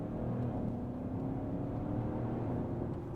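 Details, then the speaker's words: Car idled about 30 minutes, temperature normal, no leaks: engine pulls smoothly and evenly under acceleration with no hesitation, stumble, flat spot or misfire; healthy acceleration. "Just show that there's no, you know, hesitation in the rev range, no"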